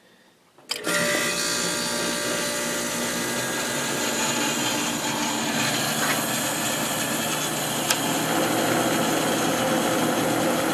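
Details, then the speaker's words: Old Whirlpool Accudry 40-pint dehumidifier with a reciprocating compressor rated 6.8 A: a thump at start, then a steady hum with a smooth airy rush and no rattles; the compressor sounds healthy. "all right now it's quiet down here and we can just hear this one this one has a real nice sounding compressor in it"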